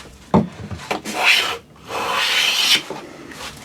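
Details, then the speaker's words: Hand plane squaring a cupboard-door board edge with a finger as fence: short broken rasps from skipping cuts, then about a second of steady, unbroken hiss. Full-length plane shaving. "now we're starting to get a full length shaving you might have heard that right up this"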